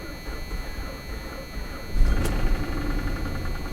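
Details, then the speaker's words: Salvage-auction car in very poor condition, unknown high mileage, oil all over the engine bay: rough, uneven low rumble at idle with a harsher swell midway; sounds unhealthy, cause not pinned down. "Ooh. Ooh. Nah, I don't like that, guys."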